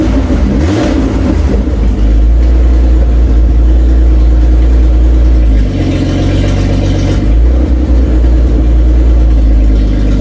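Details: Toyota Cressida MX83, engine just reinstalled, distributor re-clocked after earlier intake backfires from bad timing. The engine catches, settles into a smooth, even rumble, revs cleanly and drops back without popping or stumbling. Runs healthy.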